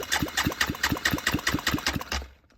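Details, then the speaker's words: Honda Grom motor just rebuilt with a 140 big bore kit, cold compression test while cranking, reading close to 160: even chuff-chuff about four compression strokes a second, equal pulses; normal, healthy compression. "So this is cold, and we have about 100 and just under 175, so I'd say close to 160 cold. Not bad."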